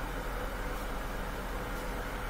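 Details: Bosch Axxis washer on diagnostic test mode, hot water inlet valve energized: steady even rush of water filling, a normal fill.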